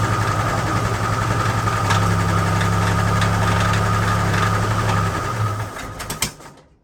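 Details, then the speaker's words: AMC Concord six-cylinder parked 26 years since 1997, after tightening the spark plugs: settles into a steady, fairly even idle with a low hum, no stumbling, before shutting off; now on all six, mixture still needs adjusting. "Yeah, sounded better. Keep cranking it."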